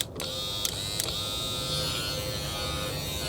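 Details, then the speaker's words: Power window motor from a donor door, for a 1995 Dodge 12-valve Cummins truck to replace the original motor, which had an internal bad connection. Fast, steady electric whirr with even pitch and no labouring: normal power window motor operation. "Okay. Hear how just how positive it sounds, how fast it is."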